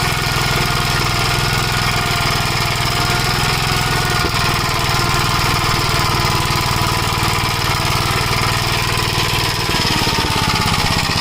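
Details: 1956 Gravely Model L single-cylinder, governor removed, run at full throttle: loud uneven chugging with occasional pops and smoke; owner suspects the spark plug fouling with oil, possibly a broken ring; carburetor and points fine, cause unconfirmed.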